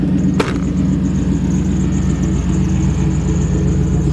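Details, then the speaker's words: 1985 Jeep CJ-7 with LS V8 swap and high-mounted exhaust: deep, even V8 rumble at steady idle, fairly quiet exhaust, no knocks or misses; healthy engine. "In fact, let me start it up where you can hear it. It's got a fairly quiet exhaust."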